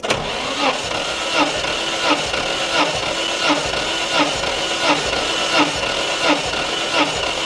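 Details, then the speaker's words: 1991 Nissan R32 Skyline GTR RB26DETT during compression test after long sitting, cranked on jump pack with fresh gas: even unhurried cranking, equal strokes; about 100 on each cylinder without oil, rings not fully seated, healthy compression. "get to 100 on each one good good good yeah if we can get 100 on cuz also these rings are not seated exactly good good"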